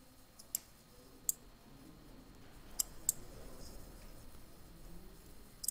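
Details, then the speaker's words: Automotive relay on a bench setup, energized by a switch to turn on a light: crisp, sharp relay clicks at irregular intervals over a quiet background, each a clean switching action. "the relay will get energized you see the clicking noise you hear the clicking noise and then the light will turn on"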